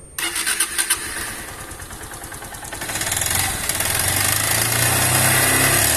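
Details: Honda Titan 160 motorcycle engine with noise: starter churns, engine catches and settles into a steady idle with a dry mechanical clatter; carbon buildup from neglected oil changes, engine to be torn down.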